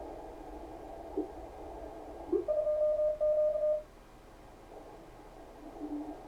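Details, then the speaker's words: Kenwood TS-520 receiver after power cord replacement, CW filter selected: receiver hiss narrowed around one steady clean beep tone, unmuffled; CW filter appears to work normally. "Sounds like the CW filter works."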